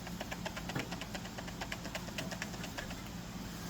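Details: Skil RT1322-00 1/2" digital router, 1680 W 14 A 120 V, motor out with brushes removed: quick irregular clicks and light knocks over a soft hum, loose metallic rattle from spindle end play as the silicone bearing tension washer has gone loose.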